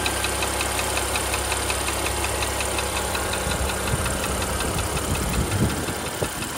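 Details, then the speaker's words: Porsche Panamera 3.0 turbo gasoline engine, brought in by the owner for engine noise; once hot at idle, a sharp, fast metallic 딱딱딱 tick that rises with revs; top-end tick, source not yet pinned down. "지금 차주분께서 엔진 소음이 난다고 해서 입고를 하셨는데 몇 가지 점검하다가 열이 받으니까 이런 소음이나요"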